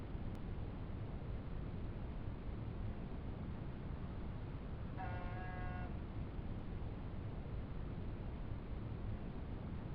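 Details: Intermittent buzz from a 1987 Honda Goldwing GL1200 Interstate, starting after the first ride of the year; low steady rumble, then a single one-second buzz stopping abruptly, recurring every 3–4 minutes (about every 6 seconds in clip), source unclear.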